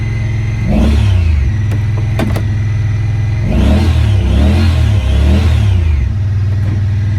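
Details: 2017 Honda Pioneer 1000-5 at 1200 miles with check engine code 9-2. Engine hunts and surges on its own, revs swelling and dropping unevenly. The idle air control valve plug on the throttle body had factory over-crimped wires broken inside the insulation; plug replaced and recrimped.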